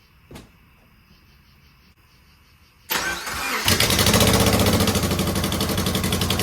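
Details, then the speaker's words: 2009 Subaru Forester X, naturally aspirated EJ253, second start after installing remanufactured OEM heads: brief cranking, then a lumpy pulsing idle; of the airbox and intake hoses, one was unplugged and the other misplaced, a vacuum leak. "Well, I would not say that was a terrific second start, but I could find this hose here off the airbox and this hose off the intake were one of them was unplugged. The other one was in the wrong spot."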